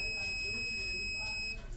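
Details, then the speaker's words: Ahuja 250 W amplifier with no power and no sound, multimeter continuity check on the main filter capacitor, bridge rectifier removed: a high beep lasts about 1.5 seconds, then cuts out as reading rises and the capacitor charges; no short. "So మనకి reading అనేది పైకి increase అవుతూ sound అనేది remove అయిపోవడం జరిగింది, ఓకేనా."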